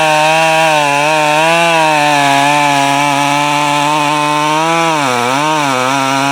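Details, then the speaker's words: Husqvarna 572 build (popup piston, no base gasket, muffler mod, torque-oriented tune, ~182 psi, breaking in) cutting firewood with 28-inch bar, 8-pin sprocket, new safety chain: steady scream then note sags and wobbles; lugging, sprocket too tall. "and number two that this saw really can't pull a 28 inch bar with an eight pin sprocket"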